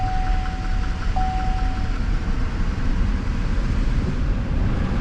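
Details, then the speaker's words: 4x4 Duramax 2500 diesel truck at 130,000 miles, auction walk-around: it starts instantly and settles into a deep, steady, even idle rumble with no knocks or rattles. Normal healthy idle. "it does have one of them diesel pumps on the back it's got a tool box and a decent space on the bed let's see if it starts oh yeah like nothing baby"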